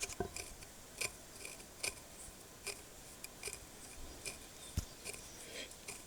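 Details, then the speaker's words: Norton 650 Unified Twin prototype front wheel bearing, turned slowly back and forth by finger off the bike: sharp, irregular dry clicks and chirps about once a second; bearing tight and rough, matching the noise heard riding, but louder on the bike. "Now, bear in mind that's me spinning the bearing backwards and forwards with my finger. Hear that noise? That's all from the bearing."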